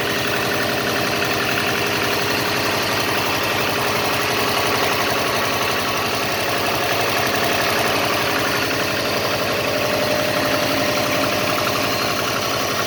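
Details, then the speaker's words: Subaru EJ205 turbo, over 200,000 km, compression 13.5-14, boost 0.7, no oil use, cold start at about -15°C: rapid, somewhat uneven metallic knock about four per second under boxer idle; disappears when warm, cause unknown. "В общем так, короче, на холодную стучит, на горячую вроде пропадает тут."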